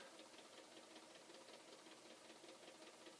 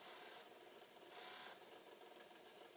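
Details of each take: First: Possibly flood-damaged Commodore C2N datasette winding a tape: faint, fairly regular clunking about two to three times a second while the counter moves; owner unsure if something is wrong inside or it needs a workout. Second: Possibly flood-damaged Commodore C2N datasette rewinding a 90-minute tape: quiet, even fast whirring with no stalls; rewind runs freely, while fast forward balked and play slowed.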